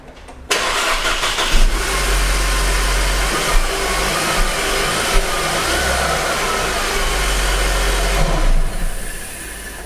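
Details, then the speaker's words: 2013 Mercedes C250 (W204), after replacing the belt and the worn idler pulley at 65,000 miles: engine starts and settles into a steady even idle, with the earlier belt-drive whine completely gone. "so guys that noise is completely gone that was just the award pulley causing okay uh the noise in our case"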